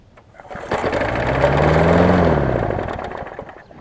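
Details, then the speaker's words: Lawn mower engine just moved from a Sycamore mower onto an aluminum Craftsman deck, with spilled oil burning off: starts straight away, swells to a steady even run and eases down with no misses or knocking; running well. "runs pretty good, so just like it did on the Sycamore mower. So there we go, running great."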